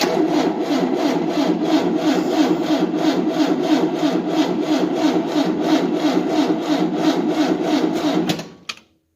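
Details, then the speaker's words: 1988 Tennant 255 Series II sweeper, possibly unstarted for about a year, new fuel line, now pumping fuel, on a booster: steady starter churn about three beats a second for eight seconds, never firing; cranks but no start. Owner suspects the old battery. "Maybe the booster's dead. No, it was fully charged. But it could be the battery though, because the battery's been in there a while."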